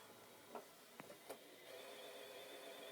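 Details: Xbox One disc drive with game inserted after cleaning: three sharp mechanical clicks, then steady whirring hum with faint high whine before stopping; disc not read, games won't load.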